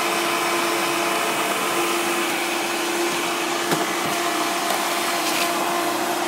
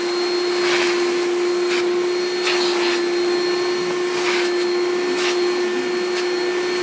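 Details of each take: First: 1995 Hoover Turbopower 3 vacuum cleaner: steady high motor whine with a thin squeaky tone throughout; runs strongly but something squeaks. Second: 1995 Hoover Turbopower 3 U2876 vacuum with tool: steady, even motor hum with constant high tone, brush and suction bursts; belt squeaks at shutoff. Normal running.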